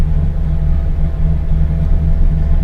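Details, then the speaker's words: LS V8 truck after cam swap, idle tuning in HP Tuners, idling in neutral at about 750 rpm desired. Airflow table slightly off in reverse (about 2 g/s added). Deep, steady, even rumble with no misses: normal idle. "but it's still it's calling for it to be at 750 rpm like I can still totally live with that switch it to neutral that's fine"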